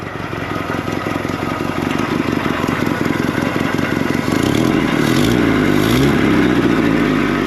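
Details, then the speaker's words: 1964–67 Toyota Stout pickup, 3R four-cylinder, sitting since 1984, no original carburetor, running with over 60 psi oil pressure and no smoke: even quick firing, revs climb smoothly, no knock or rattle; normal running. "This truck's not even smoking. It sounds great. Holy crap."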